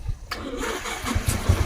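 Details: Motorcycle electric start: short starter whir, then the engine catches at once and settles into an even putter; the starter works normally.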